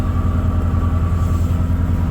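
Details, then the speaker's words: 1993 Ford F-150 5.0 (302) with C6, cold start near 0 degrees after a new water temp sensor: loud, deep V8 rumble with steady low pulses and no misses, loud filter; normal cold fast idle, no check engine light. "It's gonna be really, really loud right now because it's cold, and that filter, well, it's loud."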